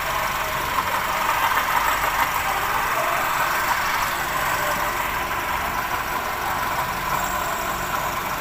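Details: Perodua Bezza idling: a constant gritty whirr from a worn water pump, diagnosed as the noise source before the pump was replaced.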